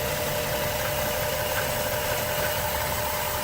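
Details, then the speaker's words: Overheating, shaking car with new water pump and thermostat, coolant spitting back: uneven lumpy idle with stumbling beat; exhaust gas suspected in cooling system, rough idle from head gasket combustion leak. "oh and the engine is running rough you see that"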